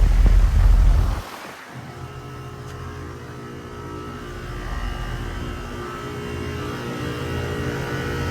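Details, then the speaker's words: Goodman GSZ14 2-ton heat pump (2017–2018) with scroll compressor, running on an 80° day: after a brief rustle, a steady low hum with smooth even drone and fan whoosh; compressor running normally, described as best-sounding. "The best sounding compressor. This fan motor. Goodman scroll."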